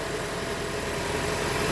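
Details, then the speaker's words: 2013 Toyota Venza 2.7L after engine rebuild, coolant half, oil slightly below full: steady, even idle with smooth hum and slightly loud exhaust from the long-runner manifold design, no knocks or ticks; running healthy. "I will say, because of the exhaust manifold design, these engines are just a tad bit louder than the average vehicle."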